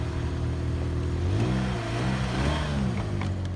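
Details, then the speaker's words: $200 Saturn Ion: engine catches, settles into a steady low rumble, then pitch climbs smoothly on a short blip with no knocks or misses; normal start and rev, sounds good. "Fire right up. Sounding good."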